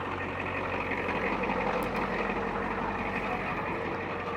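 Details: 1989 Ford F250 7.3 IDI diesel idling just after starting from eight or nine days sitting: steady, even clatter about three beats a second, no misses or knocks; engine idles fine.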